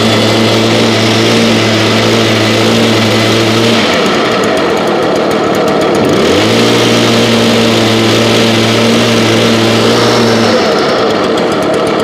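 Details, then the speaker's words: 2021 two-stroke BJ86 unit, stored 5 months on ethanol-free fuel without stabilizer, about 30°F, started on choke and primer, still cold: buzzy high idle that dips and surges midway, then settles; running a little rough. "okay still cold but it fired up which is all we care about at the moment sounds like it is running a little bit rough"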